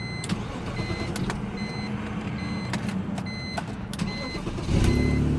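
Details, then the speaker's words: 2002 BMW 325xi that wouldn't start after an accident, fixed by reconnecting the disconnected positive battery wire: a few seconds of cranking, then catches cleanly into a steady, even idle; starts and runs fine. "we go car started well I hope I help someone out there"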